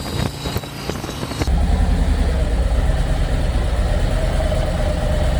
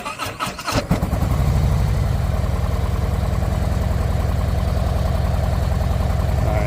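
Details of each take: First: 2024 Harley-Davidson Road Glide after repairing the coil harness that caused limp mode on one cylinder: deep, steady lopey V-twin idle with no misses or stumbles; power restored and running well, though the check engine light remains on. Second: 2024 Harley-Davidson Road Glide V-twin in limp mode, check engine light on: lumpy uneven low thump with a missing beat, poor revving, barely any power; running on one cylinder from faulty coil harness wiring.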